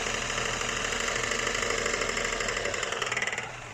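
Busy rapid ticking clatter, roughly three beats a second, over a running motorcycle engine; an abnormal mechanical noise of unclear origin.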